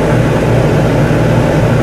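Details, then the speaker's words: Whynter ARC-14SH 14,000 BTU portable air conditioner in a bedroom, cooling mode, full fan speed, compressor running at about 67 dB: loud steady low hum with even fan rush, no rattles or knocks; normal operation. "this is loud right now in the cooling mode this unit is running on full fan speed"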